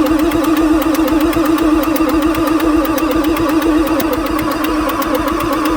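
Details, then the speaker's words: 1994 Ford F-450 7.3 diesel cranked on fresh temporary batteries after re-priming the oil pump housing: a loud, steady starter drone with regular compression beats, never catches. It smokes with blow-by from the air intake; owner suspects a tired engine and checks the glow plug system next. "well it's smoking foreign I think this thing is just so freaking tired you can see the blow-by coming out of the air induction system"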